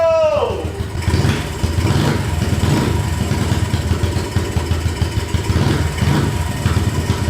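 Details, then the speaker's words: Big bore KLX143 pit bike with VM26 carb, fresh 10W40 oil, first start: fires and revs fast as soon as the choke is off; racing idle because the idle screw was cranked up. "Okay, so it wants to rev like crazy with no choke. Oh, is that just revving up as soon as you turn the choke off?"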